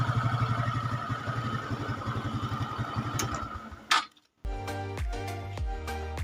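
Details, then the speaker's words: Carbureted Honda Supra X 125, engine previously very rough, now smooth after block-and-up repair: even single-cylinder idle with steady firing pulses, no grinding or knock, recorded on a quiet night. "Dan yang pasti ini sebelumnya mesin sangat kasar, dan ini udah halus."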